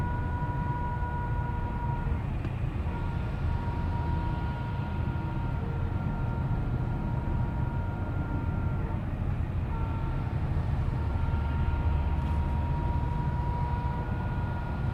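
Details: 2012 Cadillac CTS4 driving at 30 mph and up: steady high whine with any accelerator touch, stops when released, louder and higher with speed, in all gears and neutral, also on cruise control.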